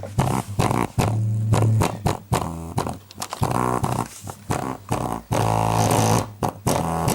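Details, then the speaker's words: Klipsch 4.1 subwoofer driven by stacked amps: bass notes come out fuzzy and rattly, breaking up on each hit; its over-10-year-old 6.5-inch drivers have failed, the right one blown with rotted foam surround. "Well, those old 6.5s have finally had it. Over 10 years later. Looks like it's just the right side that's blown."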